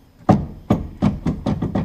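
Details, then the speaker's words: RZR XP 1000 rear stabilizer bar rocked by hand: sharp hollow clunks from lateral play between the bar and bushing despite shims, also heard when riding; bushings probably worn. Sway bar bushing play clunk. "i'm going to yank it back and forth and you can hear it rock i even have some shims that i put in here before but still they're not enough the bushings are probably worn"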